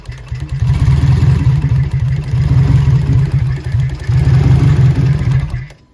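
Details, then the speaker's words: Turbo K24 (BorgWarner S257, Walbro 450, KPro, E85) just fitted with HunterTuned 2200cc injectors, idling during a tune after stalling. A lumpy, unsteady idle with loud, fast solenoid ticking; normal for these large injectors. "Man, you can hear those solenoids. They sound huge. Huge. Don't ask me how, but I got it idling. You can hear these solenoids. They're so loud compared to the other ones."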